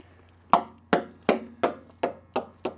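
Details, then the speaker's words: Coin tap test along the composite wing spars of a Cirrus SR22 abandoned outdoors for 11 years: eight sharp, crisp taps about three per second, each ringing bright with no dull thud. The composite structure sounds solid. "start working way down the spars listening for a different sound if you have a different sound you have a thud instead of a it's just a different sound"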